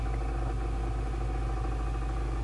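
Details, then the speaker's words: Lennox pulse furnace, unused for about a year, restarted after service with the door refitted: blinking light, then only a steady low hum from the purge blower with no light-off; the first ignition trial fails to fire. "All right, so we got our blinking light. I don't know if you can hear it, but the purge blower is running."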